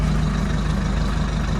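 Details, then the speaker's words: Nissan Navara D40 in neutral after replacing the failed, non-cranking starter: deep, smooth, even idle with a steady low rumble and no knocks, misses or starter noise; runs nicely with the new starter. "sounds really nice with the newer starter. That's great."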